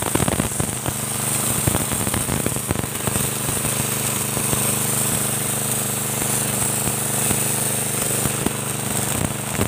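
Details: Motorbike-wash pressure washer after a spare-part modification for weak spray: a steady engine drone under a loud, even hiss of water spattering on the floor. Strong, healthy pressure, many times stronger than before.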